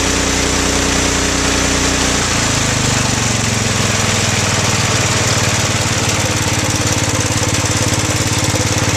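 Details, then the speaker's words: Bolens 1250 garden tractor, original Wisconsin S12D single-cylinder engine with Eaton hydro and a makeshift muffler. Steady single-cylinder thump at about two beats a second, evening out after a brief change: normal running. "the hydro is super quiet I have never had such a quiet hydro before"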